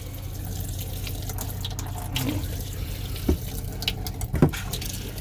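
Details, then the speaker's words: 2003 Winnebago Itasca Sunrise class A RV faucet after pressure loss: running water spits and surges in irregular bursts, air still working out of the lines; cause unclear. "is all hot water air so cold water and we still got nothing but a little streaming up there what in the world"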